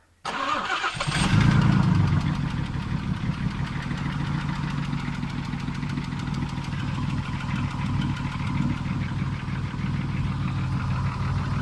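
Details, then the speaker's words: Nissan Maxima J30 engine first start after head gasket, valve work and timing replacement: short crank catches quickly, settles to steady even idle about four beats a second, no knocking; note smoothing as oil reaches the top; healthy. "Баратын жеріне майы барып, кішкене дауысы әдеміленіп жатыр."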